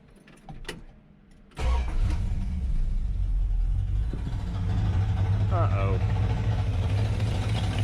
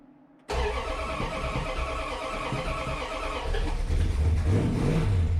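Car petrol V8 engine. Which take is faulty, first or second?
first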